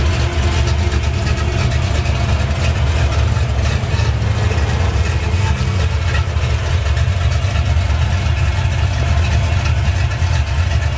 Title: red 82 chevy. rough idle